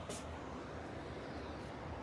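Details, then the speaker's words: MRCOOL Universal Series 2–3 ton ducted system, first start-up after sitting unused about a year, thermostat set to 70: air handler blower runs with a low, steady, even whoosh, no knocking, rattle or whine; quieter than expected. "It's very quiet. It's way quieter than I thought it was gonna be."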